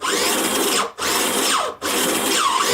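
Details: Prototype 3D-printed single-stage gearbox drive for an RC robot, motor braced by a 3D-printed band: high-pitched, even motor-and-gear whir in three short runs with clean stops and no knocking or grinding.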